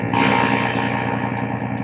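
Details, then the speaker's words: Vintage Sound Electronics Corp X305R tube guitar amp, tubes swapped and plate voltages good: guitar notes harsh, fuzzy, clipped, square-wave-like buzz; suspected rectification ripple and possible leakage, diodes and capacitors to be serviced. "um sounds like a square wave to me so i think there's a bunch of ripple in here so i think uh a rectification may be the issue"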